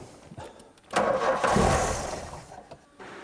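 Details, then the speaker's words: 1988 VW Golf Cabrio GTI, revved with brake cleaner sprayed into the air intake: ragged splutter that half catches, surges unevenly and dies, getting weaker each try; fuel starvation, suspected blocked filters or fuel pipes. "We're going have to clean all the filters out in the pipes and everything, aren't we? Summat must be blocked somewhere."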